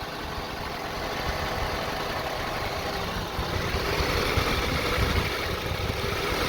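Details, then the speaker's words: 2002 Honda CR-V 2.4 L: idle rises and sags unevenly, RPM hunting and nearly stalling between swells. Rough surging idle with no clear cause; the vehicle had about seven fault codes when bought. "It has a very rough idling. The RPM goes up and down, and now we're gonna start it."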